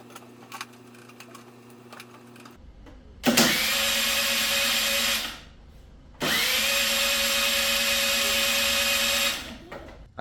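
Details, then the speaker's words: Kymco Vibe (Fever ZX) scooter whose engine cut out while riding, with a seized piston. Two cranking bursts of smooth, high starter whine with no compression beats at all: absolutely no compression. "well that's very definitive if You' never heard what a bike with no compression sounds like before that's it there when you start your scoot it should be should be clear defined compression noises and that one's just a pretty much a whining noise because there's absolutely no compression whatsoever"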